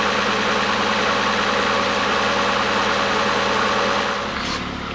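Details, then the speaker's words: Ford Fiesta 1.6L DOHC at its first start after a head gasket replacement for white smoke and coolant loss: an even, steady idle with no knock or miss. Early ticking came from a dry engine, it still smokes from before, and it is already running smooth. "it's just gonna have to run for a minute so I'm gonna go ahead and uh lower it put it back on the ground and uh Take It Outside and let it idle for an hour or so probably or whatever but it's already running smooth it's only been like a minute it's already running smooth"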